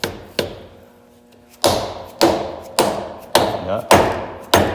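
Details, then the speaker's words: Jeep JL Rubicon front axle regear, 4.10 to 5.13: differential carrier tapped in with brass rod on stock shims as a starting point; sharp ringing metallic taps about every half second turn to dull solid thuds, carrier fully seated. "Hear the sound difference? Yeah, beautiful. And I'm just gonna verify that the shims are all the way down in there."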